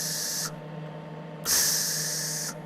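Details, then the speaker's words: MIG welder shielding gas regulator turned up well above the needed flow; each trigger pull gives a loud, sharp rush of gas about a second long, far too strong — excessive shielding gas flow. "so you're using twice as much gas as you need you don't want that and you can hear right away when you hit the trigger"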